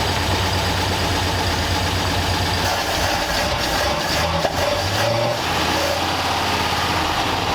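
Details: 1934 Ford Delivery engine being revived: an uneven, lumpy idle with occasional stumble and smoky exhaust. It runs much better than before but is still rough; owner suspects some valves aren't closing fully.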